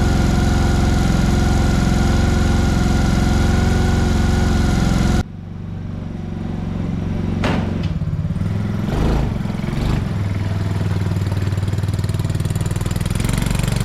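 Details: ATV after carburetor repair (leaking carb, suspected stuck float, drained and fixed, slight throttle adjustment): steady engine note drops after about five seconds, then settles into a smooth, slightly rising run; running better than ever.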